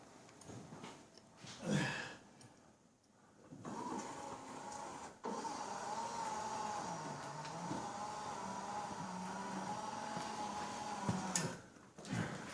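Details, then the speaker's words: 1963 Chevrolet Corvette Z06 split-window coupe, fuel injected, on a cold day: a small electric motor whirs for several seconds between clicks and stops, but one headlight won't roll up; a wire underneath was seen popped up. "wow that headlight's not rolling up but i did notice underneath here a wire that's yeah i did notice the wire popped up"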